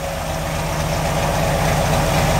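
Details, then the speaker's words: Chevy 383 stroker V8 truck, heard at the rear tailpipes shortly after a cold start, with Hooker turbo mufflers, dual exhaust and full-length headers: a deep, steady, lumpy burble with no misses or rattles. Normal exhaust note. "like I said it's a hooker turbo mufflers the hooker dual exhaust and full-length headers"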